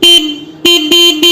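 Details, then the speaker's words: Vehicle factory (company) horn alone with the relay kit wire disconnected, for comparison with relay-boosted sound: four sharp steady high-pitched honks, clean and even; normal stock horn sound. "இதுதான் வந்து normal company ஹார்னோட sound."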